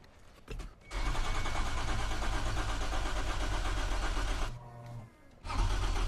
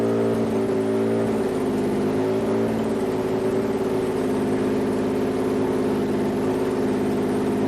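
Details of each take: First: Toyota 2GR-FE V6 swapped into MR2 SW20, first start attempt without coolant: starter cranks about four beats a second, pauses, cranks again, never catching; crank rpm seen, no faults, fuel not reaching engine, too little fuel in tank. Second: Toyota 2GR-FE V6 swapped into an SW20 MR2, warmed from 68°C coolant to operating temperature, O2 sensor ports still open: steady, even idle with no stumble, then shutoff; earlier misfire gone once warm.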